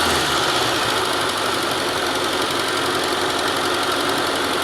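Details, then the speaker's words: Petrol engine idling with a light, quick tapping from the top end, identified as the tappet, described as harmless and sometimes caused by late oil service. "There's one sound you were hearing like tappinga da. Go back to the video and watch it again. That's the tapet cup. It doesn't affect anything."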